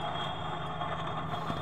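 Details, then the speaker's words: Toyota Vios with the engine running: a gritty, rough rumble with a faint whistle. The cause is a worn outer bearing in the AC compressor clutch pulley, to be replaced. "terdengar ya teman-teman suaranya inilah yang menimbulkan suara aneh [Tepuk tangan] seperti itu seputar kembali [Tepuk tangan] suara kasar sekali ya"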